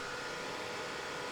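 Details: Bluetti AC200 Max power station: constant loud airy rush with a faint whine that never eases, fans at full speed from switch-on without reason. A faulty temperature sensor reads 71°; the attempted fix failed. Fans at full speed from faulty temperature sensor.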